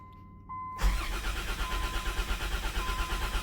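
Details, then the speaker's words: Unidentified Dodge/Plymouth minivan from a 1990–1993 Caravan/Grand Voyager fleet: uneven cranking at about three beats a second, never catches; no tach movement, so the owner suspects a failed crank sensor. "So, we've lost the crank sensor is what that seems to be to me cuz I would think I would see that tack moving and he's down there somewhere."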